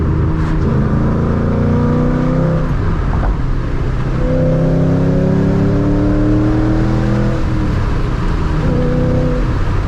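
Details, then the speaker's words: Ford Mustang 3-valve V8 after its filthy, power-robbing intake was pressure washed and a restrictor removed: strong rising intake roar through repeated hard pulls, pitch climbing cleanly with revs; engine breathing freely, no longer choked. "I hear the intake yeah it's it's already flowing a lot more air I feel it this thing is not choked out anymore"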